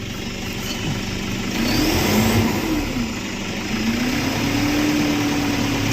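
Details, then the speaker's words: Toyota Vigo diesel revving with a humming whine that rises and holds with revs, heard in the cabin and first thought to be a failed turbo; boost tested normal, cause found to be a torn, crumbling part by the steering rack behind the turbo. "แบบนี้นะครับอื้อๆๆนะครับไม่รู้ได้ยินหรือเปล่านะครับครับตอนแรกนึกว่าเทอร์โบพังนะครับ"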